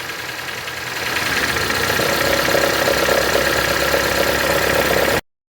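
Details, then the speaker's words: Honda Civic/HR-V idling while shifting between neutral, drive and reverse: loose irregular knocking about three to four beats a second when drive engages; worn belt tensioner with play, needs new part. "Tensor, cara. Você não faz isso de jeito nenhum com ele. Ó, o que nós tava conversando. Ó a folga."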